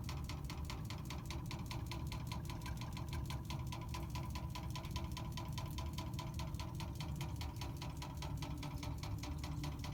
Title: Water meter knocking noise